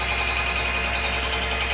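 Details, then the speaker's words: Cooler Master RP-500-PCAR ATX12V 500 W power supply in custom PC, recorded up close at boot: steady fast buzzing rattle over smooth fan whir, persisting whole time in use; PSU fan rattle, cause unclear. "the problem I'm having is that every time I boot up this power fan Supply this power supply right here keeps making this noise and it's driving me crazy"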